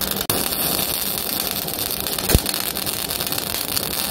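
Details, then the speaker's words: MIG welder, wire speed raised to 12.5 with voltage dropped below 22.2 V: harsh, uneven crackling and popping like hail on a tin roof with heavy spatter and lack of fusion; wire feed too fast for the voltage, weld too cold. "We got far too much wire. It's far too cold. It's spattering like the flipping heavens have opened. And it sounds like hail on a tin"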